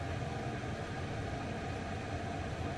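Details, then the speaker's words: Chinese diesel heater (eBay) installed in a van, running off-grid on battery: steady, even low rumble with a soft whoosh and faint ticking, no knocks or surges; heat up and running normally. "and that's the heat up you can sort of just let it hold it there and you can sort of hear it a little bit"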